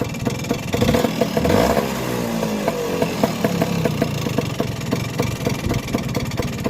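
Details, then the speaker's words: Vespa PX two-stroke scooter before restoration, engine reportedly rebuilt, revs and settles with a sharp metallic top-end rattle ticking steadily over the exhaust note; cause not yet known. "It's got a rattle on it. We've got to understand what the rattle is. Mm. He says he has all the engine rebuilt and everything, but he's got this. Top end rattle, can you hear it?"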